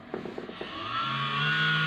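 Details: Computer switched on: a few clicks, then a hum rising into a steady roar that later stops; fan noise at power-on.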